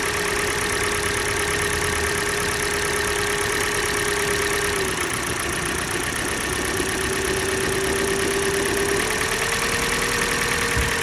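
Cold idle with a steady mechanical note and a loose, uneven knock riding over it; there's a real knock, source not pinned down yet.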